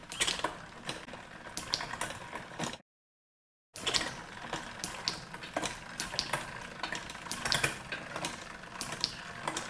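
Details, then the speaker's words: Bicycle with Shimano Di2 electronic shifting after front derailleur micro-adjustment: chain runs quietly through the gears with only crisp shift clicks, no more dragging, clicking, rubbing or grinding. "So once we have that, now we want to go through the gears to make sure it sounds right. No more dragging, clicking, grinding."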